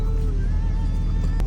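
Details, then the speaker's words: 2014 Nissan Altima with a blinking check engine light, idling with a deep, uneven, stumbling beat; it barely moves when driven. Misfire confirmed by scan, suspected on cylinder 3. "As you see, blanket check is light running rough. Customer stated that it barely goes anywhere when you try to drive it."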